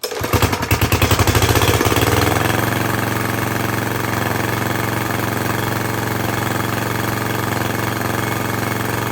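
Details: Craftsman lawn edger with a 140cc engine running with the cover cut off. Loud uneven pops at start, then a steady low putter that never reaches full speed. It runs poorly, and there is a lot of dirt in the carburetor and intake.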